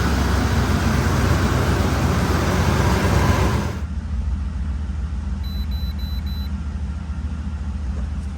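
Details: 2005 Ford Explorer 4.6 L after EGR valve replacement, checked for vacuum leak sound: engine revs with a busy rumble, then drops to a smooth, even idle with steady beat, no misfire or knock; pending MAP high code, runs normally.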